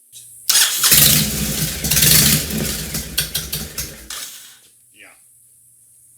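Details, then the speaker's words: 2005 Honda VTX1300 V-twin, not stone cold but below operating temperature, runs rough: uneven stumbling idle with irregular lumpy firing and surging bursts; half an exhaust pipe missing; dies when throttle is let off at speed; suspected fuel-related or vacuum issues, unconfirmed. "yeah she sure sounds pretty rough um you know he just brought it over a little while ago so it wasn't stone cold but it wasn't up to normal operating temperature either but still you can tell she needs some work"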